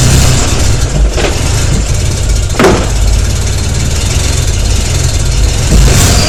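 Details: BMW E91 LCI 335ix with N54 engine and bad injectors: engine catches, then idles with an uneven, lumpy beat and occasional stumbles through light revs; misfire attributed to bad injectors.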